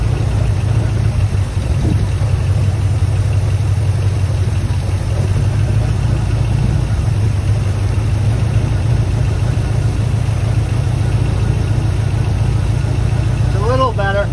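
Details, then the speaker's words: 1979 Ford F-150 Custom tool-body truck, sitting since 1999, after carburetor mixture adjusted (linkage sticking): deep steady idle rumble, even beat, no misses; much better. "yeah it's getting better yeah that's much better"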